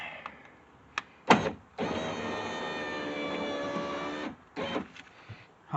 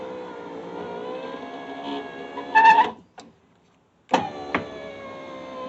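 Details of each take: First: Subaru driver's power window after greasing: steady even motor whir about 2.5 seconds, no squeak or binding; moving better. Broken glass found in door from an earlier improperly installed replacement window. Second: Subaru driver's power window in a previously crash-damaged door, before repair: steady motor whine stopping and starting, window rising slowly.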